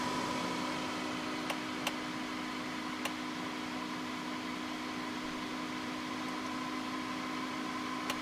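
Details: Corsair H80 liquid CPU cooler that failed 2 hours after install: steady hum with a faint rough whir and an occasional tick over hiss, an intermittent grinding noise from the failing pump.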